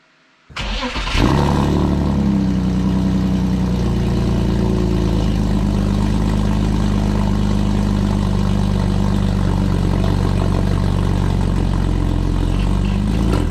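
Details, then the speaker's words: BMW E46 with M52 engine, newly fitted headers, not fully warmed: after start-up a loud, raspy droning exhaust with a steady low tone and a small backfire. It needs a resonator. "I think it needs a resonator [Music] [Music] oh it needs a resonator that's bad that sounds like that sounds terrible sounds like a butt trumpet that's not going to work for me"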